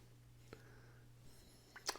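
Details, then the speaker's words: Dead Grundig 2220 CA vacuum tube radio before chassis repair; powered on, only a low steady mains hum with faint clicks and no program sound; earlier a little sound came out. Cause not confirmed. Mains hum with no audio output. "watts and going down restricted see if we have sound not really it's humming"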